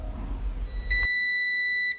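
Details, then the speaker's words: School auditorium ceiling emergency light: piercing continuous high beep, about one second long, from its power supply, with several units on the roof all beeping; electrician says this beep means the power pack has failed and must be replaced. "就是它在响，应急照明灯的电源，它在响。这个房顶不止一个，而且都在响。"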